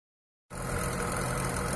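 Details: VAZ Niva 21214m injector engine with hydraulic chain tensioner, about 63,000 km, on cold start: engine catches, then a dense metallic clattery chatter over the idle. Timing chain knock, with the chain damper suspected.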